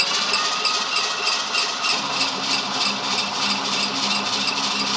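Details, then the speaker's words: 1969 Ford F-250 with a believed 390 V8 and 4-speed, sitting 21 years, cranking before first start; engine spins over loose. Steady cranking about three beats a second with a light metallic rattle over the starter whir, no firing; they wonder if it is oil pressure building. "Did you hear that? Yeah, what was that? What was that? Keep going. Is that building oil pressure?"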